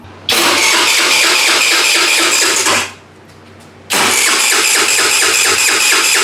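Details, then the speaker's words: Scooter abandoned for years, first start attempt: two bursts of steady starter cranking at about two turns per second with no firing; no fuel reaching; cranks but no start. "I don't see any fuel leaving this. I don't see any fuel going. But this, just in case, you never know. It's not trying to get fuel also."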